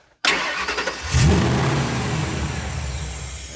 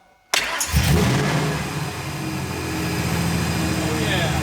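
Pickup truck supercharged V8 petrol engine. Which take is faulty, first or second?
first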